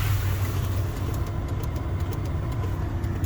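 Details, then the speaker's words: 2003 Buick Regal with engine running: quick, light clicks several per second over a low engine hum from under the dash near the light switch; the clicking stops when the light switch is fully pulled on. "and it's over here under the dash somewhere now if i pull the lights on it stops what could that be"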